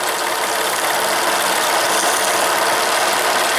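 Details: Steam launch with Cheddar Proteus 4.5 cc Maudsley reversing engine and engine-driven feed pump, gas-fired, second whistle used as pressure relief; steady even hiss and soft rapid chuff, no knocks or hesitation; running smoothly and normally.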